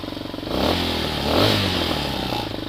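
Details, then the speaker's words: Hawk 250 motorcycle, cold on a 60-degree day, choke just turned off with idle turned down: two blips, then a low uneven idle that coughs and misses before stalling. The misses mostly go away once warm. "you got to hear that coughed that I was talking about where it just misses a little bit and as it warms up that'll go away almost completely"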